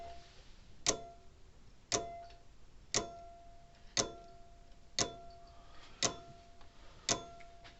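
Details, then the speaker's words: Old Sears mechanical electric fence charger after wire-brushing the points: sharp snapping clicks about once a second with a faint ringing buzz; the dirty points arc on closing, and the plate underneath is probably dirty too. "think it is flipping out more than it was before but you can hear i can hear arcane down there every once in a while when it snaps against there i'm sure that has a little bit to do with but i bet this plate back here underneath is probably dirty"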